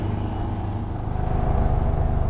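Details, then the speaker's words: PTAC wall air conditioner running and cooling (62 degrees and dropping) with low buzzing drone and rattling vibration that stops when the cabinet is pressed; control board suspected faulty. "you can hear that vibration if i just press down here it goes away right"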